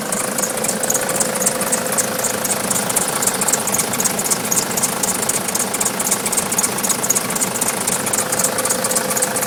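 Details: Nissan Patrol 3-litre turbo diesel idling, needs a jump start to start: sharp rhythmic high chirp about four times a second over the clatter; squeak at idle, source not pinned down.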